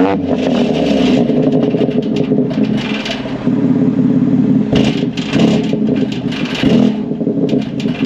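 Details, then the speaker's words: 2022 BMW X3M with VRSF downpipes and the OEM valved muffler: deep exhaust drone at idle with short metallic rattles that flare up each time the throttle is lightly blipped. Exhaust valve actuators inside the exhaust assembly are failing. "in item it'll stay open and idle but then if we hit it you'll start to hear it rattling when I hit him just a smidge of acceleration"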